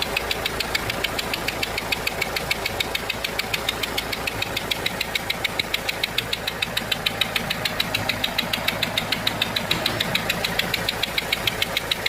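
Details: Renault 1.5 dCi diesel at idle: sharp, even ticking about twice a second, compression loss from a leaking seal on one injector.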